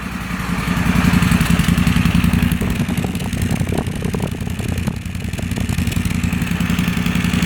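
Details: Moto Guzzi Stelvio replacement engine, first start after sitting six years: lumpy, stumbling idle with uneven beats and clatter, barely running and misfiring; cause not confirmed.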